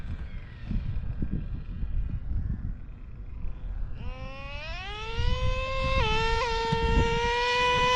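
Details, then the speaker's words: O.S. 21 TM nitro engine in a used Traxxas Revo, tank getting low: engine catches, high buzz climbs then hangs up; low-speed needle seems lean, owner wants to richen it a couple hours, suspects temperatures weren't brought up earlier. "the low speed seems to be really leaning all up so I want to reaching up the low speed couple hours"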